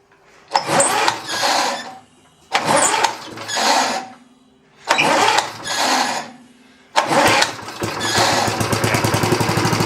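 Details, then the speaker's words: 1960s Roof push mower, no air cleaner: catches in short rough bursts every couple of seconds, dies each time, then runs unevenly; won't stay running. Owner suspects missing center carb bolt opening a chamber or fuel cavity not filling fast enough. "not consistently staying running. Let's um let's go pop the bolt back in the center of the carb that may be opening a chamber that's not supposed to be."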